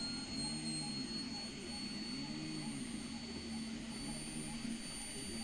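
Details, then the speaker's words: Anet A8 3D printer printing PLA first layer: thin, steady high-pitched whistle like a dental drill over soft motor hum, from air through the part-cooling fan shroud; printer otherwise very quiet. "oh my God what is to deal with that fan it was like a whistle effect from the uh the cooling shroud holy crap that sounds exactly like a dental drill"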